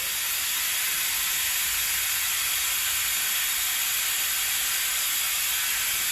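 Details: Air-driven vacuum extractor pulling hydraulic fluid from a John Deere 110TLB at 4100 hours during a hydraulic oil change: loud, constant airy hiss, no low rumble or sputter; pulling vacuum normally.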